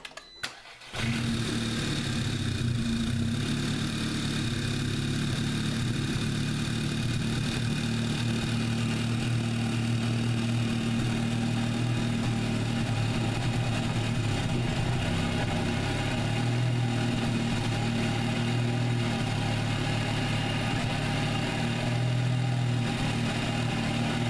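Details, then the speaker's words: MKVI GTI cold start after an oil catch can install: engine catches, then runs an uneven stumbling idle with misfires and a faint airy surge; problem persists, owner may wait for new turbo to see if it fixes it. "same thing as before same cold start video that I had before where you get misfires in air surge"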